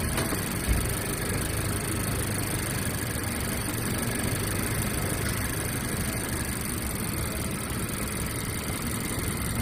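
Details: 2018 Mazda CX-5 petrol engine idling after start: faint, quick rhythmic "dadadada" knocking that comes and goes; the noise disappeared about 10 minutes after starting.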